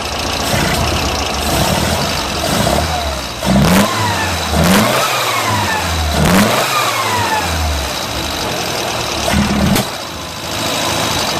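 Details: Pinzgauer air-cooled four-cylinder after twin-carb synchronization; it blips and settles back evenly with no stumbles or popping, no more black soot, normal idle.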